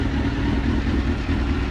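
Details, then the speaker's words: Suzuki GSX-R K2 race bike project, first start after fitting new gel battery, fuel pump priming: steady, even low idle with smooth regular exhaust beat, no knocks or rattles; normal idle. "yeah awesome well please do that sounds really nice actually"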